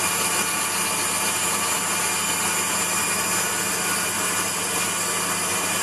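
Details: Waldown/Dumore tool post grinder on a lathe internally grinding a bronze bush: high hissy whine with rising and falling rasp as the wheel touches; contact not yet even along the bore, adjusted by sound.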